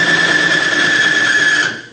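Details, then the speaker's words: Diesel fuel lubricity test rig: electric motor spinning a race bearing against a bearing in a fuel bath, harsh metal-on-metal grinding and squeal under about 50 lb load until the surfaces overheat and weld, stopping the rig. "turn on the electric motor right away you can hear it grinding the metal against the metal"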